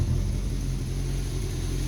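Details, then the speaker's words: Honda N600 running motorcycle carburetors, started after the fuel pump primed, on a ~55°F day, with double mufflers: deep, smooth, even rumble as it revs, no stumbling or popping. Not flooding, fairly quiet, running cleanly. "but anyhow it's revving up its eyes I'm good it's not flooding and it's fairly quiet can't even hear"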